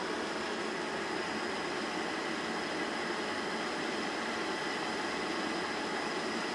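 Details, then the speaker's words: Sta-Rite Max-E-Therm pool heater after manifold replacement, following the blower self-diagnostic: the burner lights into a steady, even rushing roar with no popping or rumble. Normal ignition and combustion. "a good sign right there basically the combustion chamber actually fire of"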